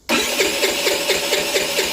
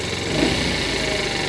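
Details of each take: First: 50cc Chinese scooter, bought run-down, after fuel line reconnected: two long runs of steady starter cranking with no firing; crank no start, no spark at the plug, still none after testing two coils. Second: Used 50cc Chinese scooter, warm and on a lift, after the idle was set down. The small engine putters at a steady, settled low speed with no misses or hunting: normal idle.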